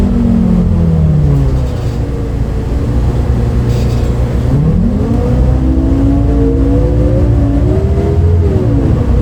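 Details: Recorded 07-03-2022 aboard 2008 MAN Lion's City A37 bus 3477 (MAN D0836 LOH 63 diesel, ZF Ecomat 6HP automatic) on line 8 Eindhoven. Odd whining tones sweep up and down over the diesel drone as it pulls; unusual engine sound, cause unknown.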